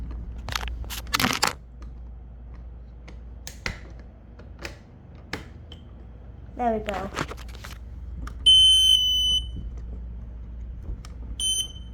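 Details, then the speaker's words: P12040 smoke alarm set off during a system test; scattered clicks, then a brief rough rasping growl before the shrill alarm tone, an unexpected growling from the horn of unknown cause. "The heck was that noise? The heck? Was this growling? I never knew it would growl."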